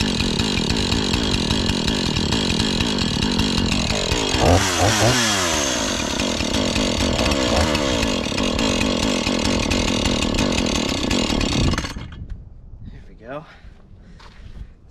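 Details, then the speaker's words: Husqvarna 435 X-Torq chainsaw, reassembled after freeing a stuck chain brake, holds a steady high buzz with clean throttle blips, then idles down evenly, finally staying on after being run a bit; running normally. "finally staying on now just needed to be around a bit"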